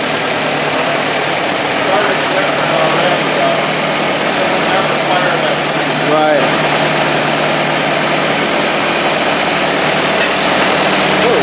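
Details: 1923 Ford Model T Depot Hack four-cylinder just after replacing the manifold: steady even idle with low constant drone, no knocks or misses; running healthy.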